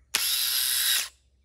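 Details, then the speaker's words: Starter removed from a Yamaha Grizzly 550 ATV, tested on the bench: about a second of harsh, high-pitched rough whirring as it spins; starter binding internally, rusted and jammed, had to be hit to free it, replaced with new. "And I can tell with that racket it's making. So we just went on and purchased a new starter because, like I said, this one here was jammed up."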